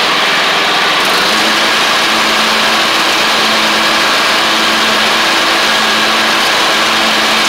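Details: MTD Craftsman LT1500 riding mower with replacement engine, first run with new blades fitted: steady, even drone with blades spinning, no misses, knocks or surging; runs healthy.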